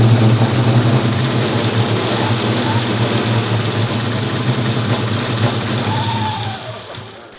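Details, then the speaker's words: G-body 6.0L LS V8 with RHS LS3 heads and race cam; coils, spark, fuel, air, grounds and tune already checked: lumpy, irregular idle, rough idle. "We've checked grounds, wiring, and you know, we even sent out the tune over to Alex at Pites and he cleaned up a few things, and we're really not sure why we're not getting a clean idle right now, so we're working on some things."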